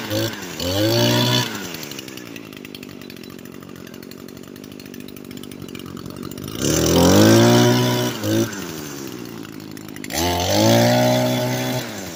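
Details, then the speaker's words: Echo SRM 225 two-stroke trimmer, fixed after a no-start: settles to a steady idle between crisp throttle blips that rise and fall cleanly, no bogging or stalling; owner thinks earlier dying was WD-40 residue. "So yeah, guys, I got it fixed. So yeah, my friend's gonna be a little bit happy."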